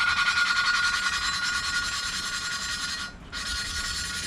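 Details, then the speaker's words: 2013 Volvo S60 T5 2.5T cylinder head, lapping a new exhaust valve (3A) by hand: gritty back-and-forth scraping about three strokes a second that changes and smooths as the valve beds into its seat; valve lapping, seat mating. "you'll hear it change you'll kind of feel it too sound is terrible"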